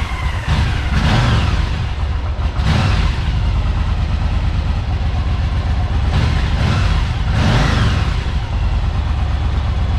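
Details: Yamaha Virago V-twin after replacing both ignition coils, NGK 1K plug caps, new plug wires and spark plugs; tach steady: catches at once and idles with a steady, even lope, picking up cleanly on a few quick blips; runs healthy.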